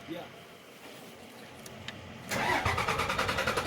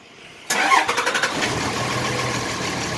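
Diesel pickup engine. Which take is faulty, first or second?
first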